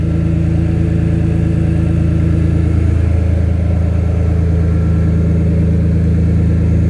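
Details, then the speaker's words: BMW M3 S54 engine swap at first start, oil topped off, booster pack on, straight header pipe making it loud: deep, even idle rumble with a slight dip partway, no misfire or knock; normal idle. "That is a running M3 engine now there, guys. That's just a straight header pipe. That's why it sounds loud like it is."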